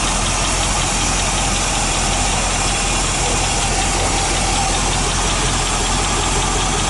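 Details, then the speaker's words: 1986 Chevy K10 4x4 V8, first start after 9 years unrun (parked 14), possibly on 9-year-old fuel: steady idle with fast light top-end ticking, rocker arms still dry, oil pressure good; suspected dry valvetrain tick. "Okay. Well, that's a rocker arm. All these still dry."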